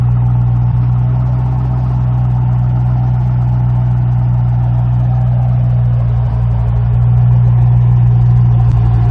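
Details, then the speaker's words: 2006 Mustang GT 4.6L 3V V8 with Flowmaster exhaust, after replacing all 8 coil packs: deep, steady rumble staying even through a slight rev rise, no misfire stumble; runs like a top. "Those Flowmasters sound good. Alright, so as you can see, she runs like a top."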